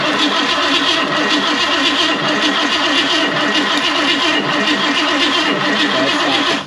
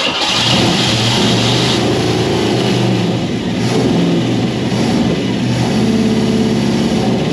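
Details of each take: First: 1969 Ford Mustang Fastback engine cranked for the first time in about 30 years, valve covers off, distributor disconnected: steady even starter whirr without firing, cranks freely with no binding; oil reaching all rockers, oil pump good. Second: 1969 Ford Mustang Fastback, first start attempt after sitting 30 years: engine catches and runs unevenly for a few seconds, then sags and stalls; carburetor (double pumper, leaking fuel) accelerator pump no longer squirting fuel, carb needs more work.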